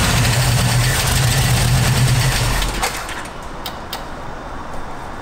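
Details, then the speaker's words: Camaro engine runs rough and lumpy with loud fast clatter near four beats a second before dying; valve cover pulled revealed bent pushrods, which should be straight, causing the racket. "it runs it was hitting our island but it's making the hell of a racket right so we pulled the valve cover and i have a picture but these are the push rods that were in it and they're supposed to be straight"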